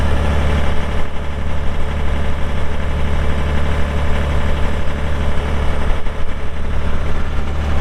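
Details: 2001 John Deere 5320 4WD cab tractor with 541 loader and sync shuttle, showing 358 hours (meter replaced), just started after the walk-around: a deep, steady diesel rumble holds even at idle with no knocks or misses. The engine sounds healthy.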